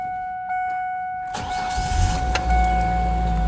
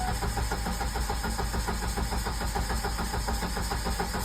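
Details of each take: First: 1999 Ford Ranger 2.5 L four-cylinder, after swapping back to the original fuel rail and reconnecting a rail line that had come loose, then priming: starter whirs briefly, engine catches cleanly and settles into an even note; normal start. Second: 1999 Ford Ranger 2.5 L four-cylinder, fuel pump relay pulled to bleed fuel rail pressure before a fuel rail and injector swap: steady rhythmic cranking, under two turns a second, with no firing at all; it will not start.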